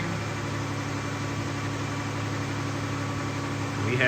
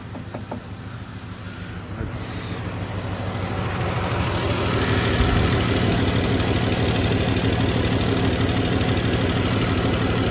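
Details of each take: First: 2015 Dodge Grand Caravan 3.6 V6 petrol with P0303 misfire and P219A codes, restarted after swapping cylinder 1 and 3 coils: steady, even idle sounding smoother with no skips. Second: 2015 Dodge Grand Caravan 3.6L V6 with P0303 and P219A: uneven idle with a steady stumble about three times a second, cylinder 3 misfire persisting after swapping coils 1 and 3, so likely not the coil; check light on, not flashing.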